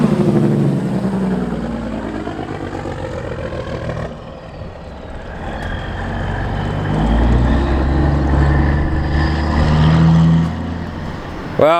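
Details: Kenworth W900 truck with Cat 3406E diesel after new turbo install and oil pan work, driven around the shop; deep steady rumble pulling smoothly and climbing in revs, no knocks or misses; healthy under load.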